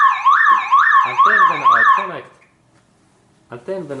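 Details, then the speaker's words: Toyota Camry anti-theft siren triggered when the battery's negative cable is disconnected: a loud rising-and-falling warble about twice a second, a pause, then again. "when I like to replace this car's battery, this alarm makes right away this sound, and it means that now that here is this car's minus cable, and when I take that cable away, this car makes sound."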